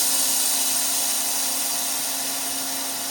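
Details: Air Techniques M5B portable dental dry air compressor with dehydrator, 115 V, always-on cooling fan: steady even hum with constant airy hiss, no knocking or rattle; pumps to 80 psi, vents through dryer to regenerate down to 60 psi, normal.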